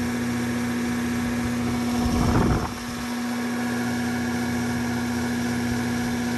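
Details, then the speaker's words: Condenser fan motor on a roughly 2018 AC unit, jumpered to run the fan alone after reverse-rotation fix; capacitor tested 4.5: loud steady hum with a brief midway surge, still really loud, motor replacement recommended. "i am going to recommend the motor anyways because it sounds really loud"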